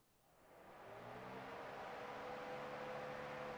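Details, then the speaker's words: Pontiac Firebird engine cooling fans commanded on via scan tool, relays two and three for high speed; fans spin up within a second to a smooth, steady whoosh and even hum; fans, wiring and fuses work. "I'll turn fan relay one off that's a low speed fan and this is the high speed band's two and three"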